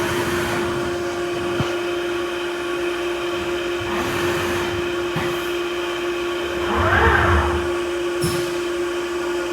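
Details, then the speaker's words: Haas UMC 750 5-axis mill dry-cycling a program with rapid at 25%: a constant, loud mid-pitched drone under the coolant spray comes from the mill's noisy coolant pump; the vise handle flops around a little. "The coolant pump is kind of noisy in this mill. I think Pearson Work Holding had a similar observation on YouTube."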